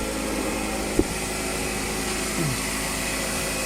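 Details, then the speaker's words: Ford, engine running after fixing accessory belt whistle by cleaning and re-grounding a bad ground wire; steady even hum with no whistle or chirp from belt; normal idle. "так работает машина после того как вы устранили неисправность никакого свиста нет"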